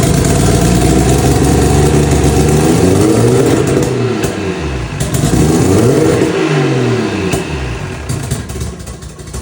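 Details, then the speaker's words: Carbureted engine starts without starter fluid after carb rebuild with new bowl gaskets (bowls not leaking), catches and revs cleanly with throttle, no misfire or stumble; first crank failed because spark plugs weren't connected. Normal start and run. "Okay, the bowls are not leaking. It runs. Starts up. Great."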